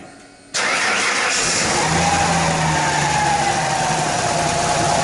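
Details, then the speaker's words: Ford Ranger bought with a bad misfire, cranked after a pushrod was reinstalled and the rocker refitted; a steady, even churn with no valvetrain tapping or clacking, compression is back and the intake valve is working. "Would you look at that? We actually have compression."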